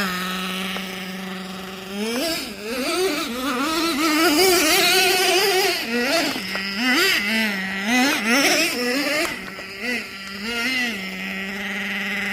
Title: Nitro Sounds Like High Idle And Odd.. Jato Sounds = when idle is too high.. #nitro #rc #jatos